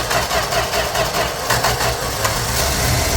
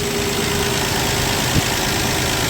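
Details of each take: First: 1965 Plymouth Valiant 100, slant six, 3-speed, first start in years: engine catches on ether/fuel poured into the carb and runs unevenly, no smoke, but nothing comes through the fuel pump to keep it going; fuel pump not delivering fuel. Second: 1965 Plymouth Valiant 100 slant six, 3-speed, warming up with coolant circulating, radiator not leaking, still charging: even, smooth, quiet idle with one brief click, no knocks or misses; normal warm idle.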